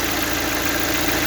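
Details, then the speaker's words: Lada Largus/Vesta (exact model not stated) engine, hot, oil pressure lamp lit: fast light metallic hydraulic lifter ticking at idle that gets louder with each top-up of thicker 5W-50 oil, with pressure unchanged; an oil additive did not help and low oil pressure is suspected. "Единственное что происходит это становится громче компенсаторы с каждой долив кой а давление как было всё примерно так же"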